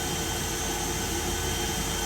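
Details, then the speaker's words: Niftylift hydrogen fuel cell test run charging battery, booster pack still connected: steady even blower-fan whoosh with faint high tones, no surging or knocks; running normally. "okay so it's actually running charging now the battery"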